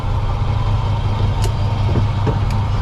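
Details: 1937 Ford panel truck flathead after master cylinder replacement: low, steady idle with a smooth, even beat, no knocks or hesitation; normal idle.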